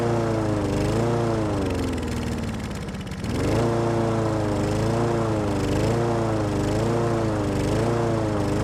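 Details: Husqvarna lawn mower with Honda engine, sat all winter with stabilized fuel, started after carb spray and choke: small single-cylinder catches and runs with a steady buzzing drone and gentle hunting wobble; running cleanly.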